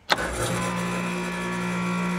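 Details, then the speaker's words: Air conditioner outdoor unit after replacing failed dual run capacitor: click, then compressor starts immediately with steady hum and fan whoosh, running normally. "We should hear the compressor start immediately if that was the problem."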